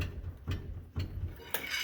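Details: 2003 Dodge Ram 1500 front wheel rocked by hand, before replacing upper control arms, lower ball joints and wheel bearings: dull clunks about every half second with up-and-down play, from a worn ball joint.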